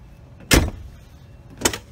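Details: Ford Explorer after repair, with a spring refitted to the lock linkage: two sharp door-lock clunks about a second apart, each crisp and complete, showing the power lock now works.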